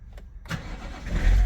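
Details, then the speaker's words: BMW E61 diesel that would not start after about two months standing and battery replacement, fixed by clearing fault 4A63 EWS tampering: brief crank catches almost at once into a low, steady rumble; normal start. "Voila. Engine is started. Sounds good."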